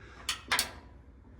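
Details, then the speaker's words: New replacement washing machine lid switch activated by the lid hook before reinstalling: a few sharp, light clicks against a quiet background; switch engages cleanly, telling the washer the lid is shut, where the old one didn't work. "See that? Letting the washer know that your door is now shut so that it can start, so it doesn't grab your fingers or your hands or anything in there that's touching it. So that activates it."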